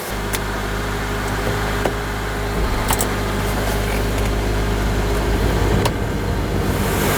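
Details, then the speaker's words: 2004 Honda Element 2.4L after alternator replacement (old one charged about 12V), idling with all electrical loads on, charging 14 volts: steady even idle, smooth low hum, no whine or grinding; alternator working normally. "like a whole new electrical system very happy we are charging now yes 14 volts all loads on we definitely got a working alternator yay"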